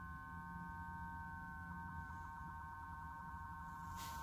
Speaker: well it's making that sound keys in the off position he's off and the battery's dead